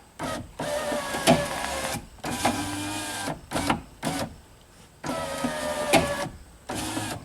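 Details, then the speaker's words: 2003 Pontiac Sunfire, driver's window, testing after a regulator replacement. The window motor runs in strained bursts with a rough dragging tone that changes along its travel; the glass is suspected to be binding. "something binding"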